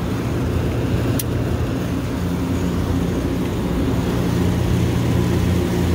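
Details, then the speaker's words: Refrigeration compressor that tripped on thermal overload (bad pressure switch suspected), restarted after cooling the head and confirming continuity: steady low hum drawing six amps, no knocking or stalling; compressor running after thermal overload trip. "Six amps, it's running. I'm gonna watch it for a bit and see if the sight glass clears up and see what happens."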